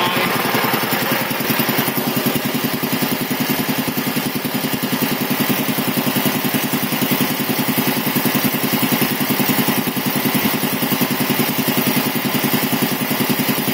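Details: 1975 Quincy QR 325 compressor on a replacement GE 5HP single-phase TEFC motor, pump slowed to 621 rpm to limit amps as pressure rises; even, steady piston chuff with no knocks or rattles. Runs smooth and quiet, normal.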